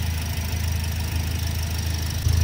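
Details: 2007 second-hand car idling after radiator coolant top-up from nearly empty; low, smooth, even idle with no knocking or misses, rising slightly near the end; running normally.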